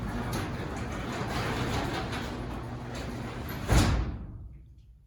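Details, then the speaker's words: Newly installed Chamberlain B500 belt-drive garage door opener, an after-install test of whether it is quieter: a smooth, quiet belt hum while the hollow metal door rolls, ending in a soft thud as it closes. Normal operation. "Now we're going to do an after video to hear the sound since the new Chamberlain garage door opener is installed. Let's see if it's quieter."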